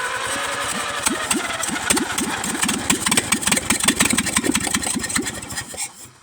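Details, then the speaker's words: $100 auction Farmall H tractor with no carburetor, intake manifold or exhaust manifold, starting fluid fed into the intake ports: ragged, rapid firing pulses catch and sputter for several seconds, then die away; the bare engine runs only on starting fluid. "y'all got to see a motor run without an intake manifold, exhaust manifold, or a carburetor."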